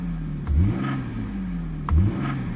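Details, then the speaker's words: Lexus IS300 (2JZ), 260,000 miles, two quick revs from idle each with a brief hollow knock as the engine picks up; suspected piston slap from worn piston-to-cylinder-wall clearance, not rod knock. "that's not actually the rod knock that is Pistons left so piston slap occurs when the engine gets old and there's not enough well there's not proper clearance between the Pistons and the cylinder wall there's too much room the Piston will end up slapping it making this noise"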